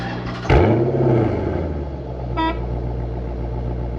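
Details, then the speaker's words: 2007 Dodge Magnum SRT8 V8, GoPro mounted at the rear by the exhaust. It restarts with a sharp bark, then settles into a deep, even exhaust burble at idle; sounds healthy. "All right, so I have it on the back now. I'll turn it off, start it up, and then you guys kind of hear the exhaust, all right?"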